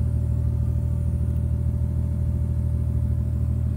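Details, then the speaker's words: MK3 Supra 7M-GTE idling after the fuel cell install with no leaks, recorded inside the car on 1 gallon of fuel. Steady deep rumble with a constant pump hum, quieter than the old pump: normal idle. "Pump is kind of loud, but just not as loud as it was before. Anything is quieter than what the pump was before."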